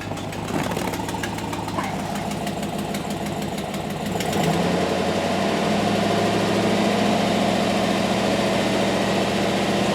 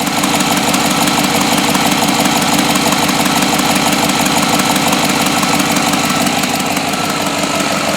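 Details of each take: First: 2007 GMC Yukon 5.3 V8 at first start after oil priming, idling: quick regular ticking puff over the exhaust note from an exhaust leak; otherwise smooth. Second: 2007 GMC Yukon 5.3 V8 after oil prime and first start: steady, even idle with no knocks, misses or surging; smooth and healthy.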